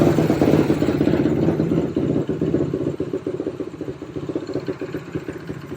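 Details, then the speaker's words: 2007 Suzuki LTR450 quad that won't take throttle, after repeated cranking: single-cylinder barely running with uneven stuttering pulses that sag and fade; owner suspects it's loaded up and feels it's taking no fuel. "Shouldn't be getting too much fuel, but I have been trying to crank it, so it's probably loaded up. Feels like it's taking no fuel."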